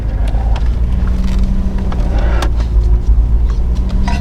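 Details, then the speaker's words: Nissan Stagea 260RS (RB26) after fixing a knocking noise, creeping at full steering lock in a car park: low steady engine rumble with no ticking or knocking from the wheel area; normal. "so we are back in the same said car park and i just want to show you after the fix so full lock no noise baby"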